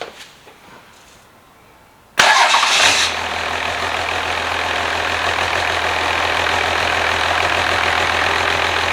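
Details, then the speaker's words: 12v Cummins with 180,000 miles, bench-started for an OBS Ford swap and checked for blowby: it fires at once and settles into a steady, even diesel idle with no misses or knocks. Normal healthy idle. "again that's awesome okay that sounds really good"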